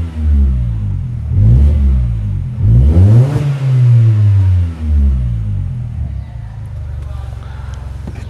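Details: Mini Cooper Convertible with an aftermarket sports exhaust, after the pipe-to-body contact was fixed (the owner had thought it was suspension noise). Heard from the cabin: clean rise and fall through several revs, with no knocking or rattling. Normal.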